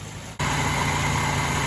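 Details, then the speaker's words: 1981 Dodge Challenger, off the road for years, running with the choke held closed manually after a paint chunk fell into the carb: it now catches and holds a steady idle, perhaps from chunks breaking free. The external accelerator pump is suspected bad or its passages clogged. "there we go nice must have broken the chunks free"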